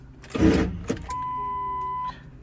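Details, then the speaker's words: Ford 7.3L diesel (Excursion/F-250/F-350) no-start: a thump, then a steady high whine for about a second with no cranking as the starter spins without engaging; starter on its way out, usually the Bendix drive gear. "All right. So, starter's not engaging. So, I'm going to try it again just so you can hear the sound. Uh, this is just your starter on its way out."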